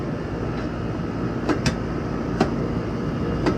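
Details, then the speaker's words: AC unit whose compressor wouldn't start, after replacing the bad capacitor: steady low rumble with a few light knocks as the compressor runs evenly under load; working again. "okay yeah compressor is running now"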